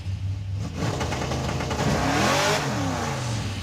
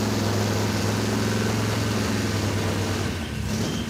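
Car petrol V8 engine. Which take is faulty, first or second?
second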